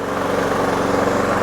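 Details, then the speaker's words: Toro Super Recycler 21386 after new drive belt (Toro 115-4669): steady engine drone holding even under load as Personal Pace self-propel pulls, no slipping squeal or chatter; moving freely, drive working normally. "Moving nice and freely."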